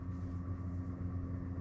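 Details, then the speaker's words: Webasto Thermo Pro 90 diesel water heater on Garcia Exploration 45 sailing yacht, fans at low speed with tech room door open: low steady hum with soft even pulsing from the Webasto pump under quiet fans; running normally. "and you can listen to the sound of the low fan speed with the tech room door open as you can see down there so you can hear the webasto pump"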